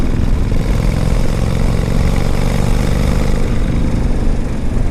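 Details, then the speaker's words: 1995 Honda Shadow 1100 V-twin with 22,000 miles, tuned up, started on a warm day without choke: steady, even low idle with no misses, knocks or ticks, running smooth and healthy. "and uh it runs pretty good"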